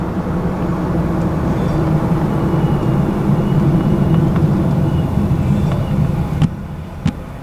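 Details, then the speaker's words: Supercharged (ProCharger) Scat Pack that was stalling at stops after a P0171 left bank lean code, idling at a stoplight: a steady low rumble holding even with no dips or stumbles. Idle stays solid; owner guesses the car was learning its fuel trims. "No, stayed nice and solid. So I'm gonna assume that was what it was."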